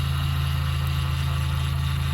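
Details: First-gen Toyota 4Runner 22RE, freshly rebuilt with a new head, idling as it warms up (thermostat opening, coating burning off the exhaust manifold): steady, even low rumble with no knocks, ticks or misses. Normal idle.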